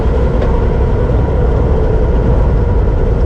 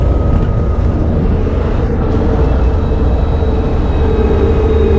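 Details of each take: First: Land Rover Defender cruising at about 95 km/h in neutral: steady low rumble and hiss of tyres on the road with no grinding or whine, normal tyre noise. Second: Land Rover Defender coasting on overrun at high speed, around 100 mph, with the front propshaft removed: a thin steady whine over road and wind roar. The transfer box front output bearing is suspected but not confirmed. Whine on overrun.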